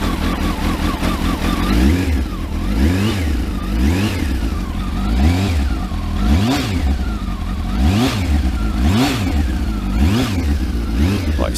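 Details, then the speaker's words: Kawasaki ZX12R just started after clutch install, freezing cold with choke on, warming up: steady idle with clean throttle blips about once a second, no rattle or clatter from the clutch; sounds healthy. "sounds sweet just that do it no noises coming from the clutch which is good"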